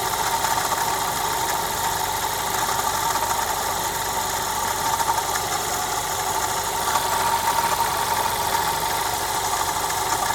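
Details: Audi A1 1.4 TFSI idling, recent coolant loss: steady mid-pitched hum with faint rapid ticking underneath, heard from the engine/coolant expansion tank side; cause unknown.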